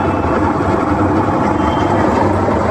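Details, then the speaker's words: Whirlpool top-load washing machine on the final fast spin; loud, constant mill-like roar with heavy rumble, loud enough to hear from the road. Gearbox, bearing and oil seal all gone, and the drum was removed for repair. "ಇದು ಬಂದು gear box problem ಇದೆ. Gear box ಮತ್ತು bearing, oil seal ಎಲ್ಲ ಹೋಗ್ಬಿಟ್ಟಿದೆ."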